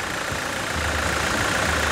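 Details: Toyota SW4 2017 with 2.8 1GD diesel, engine just installed and running with coolant, pressure monitored on a gauge while it warms up and is checked for leaks: steady, even diesel idle clatter, no knocks, misses or rhythm change. Healthy idle.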